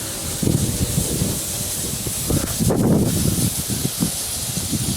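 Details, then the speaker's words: Zone 7 sprinkler blowout, first slow blast with a 22-gallon compressor, at the last head on the zone: a rough hissing spray with irregular spitting bursts as air reaches the head and pushes out the remaining water. "This is definitely the last head on this zone. Now it's getting some air. You can hear it. You can hear it. Not bad."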